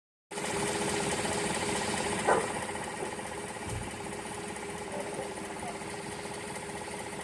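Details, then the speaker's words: Intermittent light, quick tapping at about four per second at steady idle on a Gen V Silverado L83 5.3 V8, likened to a woodpecker; it comes and goes, then stops; source not identified. "and then it just stops. There it goes. Sounds like a woodpecker."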